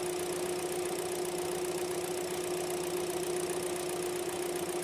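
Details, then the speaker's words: 2018 Hyundai Elantra 2.0L with codes P0017 and P0301 idling during cam sensor checks: uneven, shaky idle with an irregular stumble and a steady whine over it, engine shaking like crazy; rough idle. "So, now I'm going to go in the vehicle and start the engine. So, let's see what we got. Okay. So, as you can hear, the engine is shaking like crazy."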